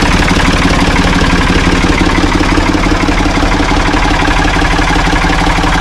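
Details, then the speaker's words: Ford 445 diesel tractor, owner thinks a 1970s model, bought at online auction: steady, even idle clatter with a firm regular beat, no misses or knocks; starts and runs good, healthy idle. "but I think it's uh I think it's going to be a good tractor though. It starts up good, runs good."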